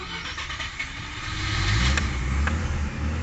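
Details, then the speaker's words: Mazda RX-7 rotary, cold start in neutral, clutch in, no throttle: catches unevenly with a lumpy stumbling low roar that swells and sags; seems to run on one rotor, misfires heavily then dies; later cranked without starting, flooded. "Neutral, clutch in, no gas. Oh, it seems like it was only running on one rotor."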